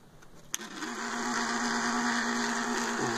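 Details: Electrolux Turbo Limpeza 16 kg washer on spin after a wiring change to fix a spin fault: a steady motor hum at one even pitch with no knocks or grinding, and the drum spins up smoothly. The washer now spins normally.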